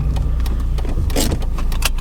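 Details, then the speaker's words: 2004 BMW E46 320D Touring, on the road shortly after setting off: sharp metallic clunks and random rattles from the rear over road rumble. The driver thought a spring or something had fallen off; cause not confirmed. "Oh, whoa, whoa. You must have heard that. Wow. That was bad. That sounded like a spring or something just fallen off."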